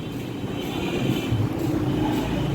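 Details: 2008 Mercedes-Benz C200 idles rough with an uneven low thump from a cylinder 2 misfire (code P0302) and a check engine light on.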